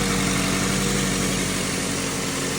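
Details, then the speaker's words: 2003 Ford Focus after replacing the noisy failed water pump: steady, even idle with smooth low hum and no knocks, ticks or whine; engine sounds healthy after repair. "Vamos a darle marcha a ver cómo se escucha a ver si hay alguna diferencia obviamente obiamente ahí está la diferiencia"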